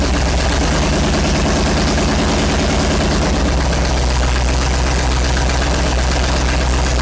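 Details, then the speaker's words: 1970s Sleek Craft jet boat's Oldsmobile big-block V8 with fresh oil, idling while warming up as initial timing is set with a timing light: steady, even lope with a smooth firing rhythm, no knocks or misses; healthy. "I've got my timing light out. We'll set our initial timing and stuff while this thing's warming up."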